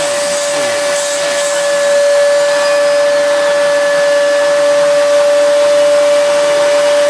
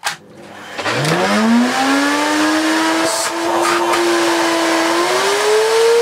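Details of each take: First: Miele S2111 vacuum after repair of a broken solder joint, at full power: strong, steady motor whine holding one clean pitch with no surging or rattles; runs healthy. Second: Miele S2111 vacuum, found dead, first run after repairing a broken solder joint: motor spools up to a loud rising whine, settles, climbs again; works but sounds terrible; owner suspects the dirty fan, carbon-brush smell noted.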